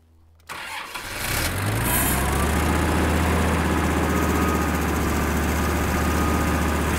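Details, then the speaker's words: Kubota M5700 five-cylinder diesel tractor (about 60 hp) after fuel lift pump replacement: cranks, catches and settles into a lumpy idle near four pulses a second. It still stalls. Fuel starvation from a blocked tank outlet is suspected. "nope still has the same problem"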